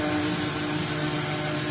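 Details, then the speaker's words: Two-day-old Astron mini desk electric fan, after its blade alignment fix, running with the cover on: a smooth rush of air and a faint even hum, no wobble or rattle; the vibration is gone. "Ayan guys Oh wala na wala ng vibration kahit paikutin natin yan dapat walang vibration Ayan hangin lang maririnig"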